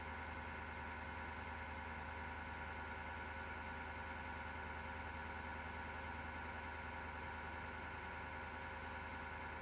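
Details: Desktop PC, microphone at left side of case: steady whirring roar with coarse gritty low grinding and faint irregular ticking, starting by itself after rattling or clicking as fan slows; power-supply fan suspected failing.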